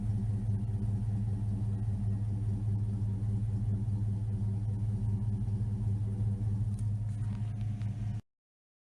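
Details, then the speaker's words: 1979 Firebird with 5.3 V8 swap and Powerglide, no AC, after ICT billet relocation kit and new injectors credited for smoother idle; deep even idle with steady low rumble, no misses, knocks or ticks, healthy. "Other than that, this runs great. No AC. With a power glide, I think she'll do fine."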